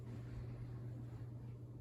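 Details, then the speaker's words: SMC/Galleria 30-inch hugger ceiling fan on medium after adding an aftermarket speed control: low, steady, quiet hum, no rattle or wobble, about a third of the hum on the factory medium speed; motor running smoothly. "I mean that's probably maybe a third of the the hum that it had on the factory speed"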